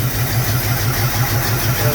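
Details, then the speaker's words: 1974 Pontiac Ventura, original engine, 83,000 miles, not started in 3 years, rebuilt Edelbrock carb, 3-year-old fuel: cold engine runs on choke with an uneven, lumpy, chugging idle; owner thinks too much choke. "Think we could back that choke up a little bit. It's really chugging."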